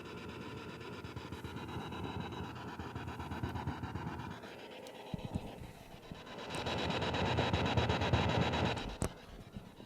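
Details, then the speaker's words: Panasonic RE-7257 radio after repair, back in its case, on an isolation transformer supply using the 110 line as FM antenna: quiet raspy buzz, hiss and regular ticking; noise generated by the isolation transformer, fine on a normal power strip. "that noise is actually being generated by the isolation Transformer if I plug that into a normal power strip not on the isolation Supply everything sounds fine"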